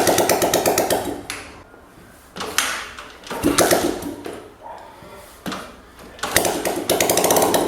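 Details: Small single-cylinder engine on first start after a top-end rebuild with a KMP Premium kit; oil circulating up to the head, and it may smoke briefly. Even bursts with short throttle blips, no valve tapping. Normal idle.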